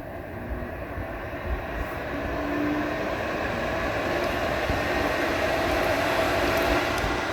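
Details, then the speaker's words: HP Z240 workstation desktop fans racing wide open from power-on like a jet, steady loud rushing whoosh; not overheating but a firmware glitch, cleared by unplugging power for 15 seconds. "so you can hear how the fan is running wide open on this sounds like we're getting ready to take off"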